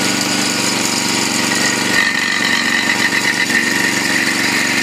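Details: Honda 5.5 single-cylinder on a used log splitter after welding repairs and tank cleanout: steady buzzy run, even beat, no surging or misfires; healthy motor.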